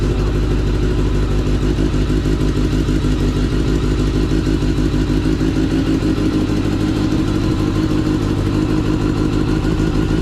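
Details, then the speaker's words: Kawasaki ZX10R motorcycle after an engine swap following catastrophic engine failure, with a used replacement engine still cold and the mic outside; a fast, even beat of about two pulses a second with no knock or rattle sounds smooth and healthy, clearly different from before. "That joint sounds incredible. Oh my gosh. It's about time for a new motor. It sounds completely different."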